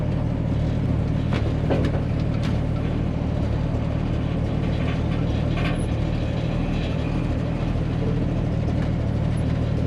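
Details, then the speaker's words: 1965 Mustang restomod with straight six, on the road: steady low engine drone with loose irregular rattling from the trunk; owner plans foam core board to stop it; body rattle. "you guys can hear all that rattling in the trunk"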